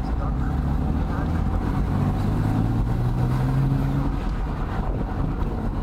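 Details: Porsche 987 Boxster 2.7L 239 hp, 2004-05, RHD, 94,139 miles: engine runs with a low, uneven rumble and a loose, irregular clatter riding on it; rattle from the engine, cause not stated.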